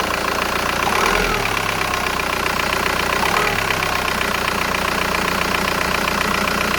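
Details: VW Golf 4 1.9 TDI 110 hp: after a rev blip the engine shudders and stumbles as revs fall to idle, also at stops in normal driving; rough idle, owner suspects injector or flywheel, unconfirmed.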